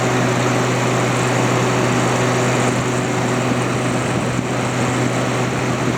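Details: Haier ESA410J-RGB 10,000 BTU window AC, airflow test on the condenser side at the back: strong steady rush of air over an even low motor hum, no rattle or scrape, fan at about 1450 RPM; running normally.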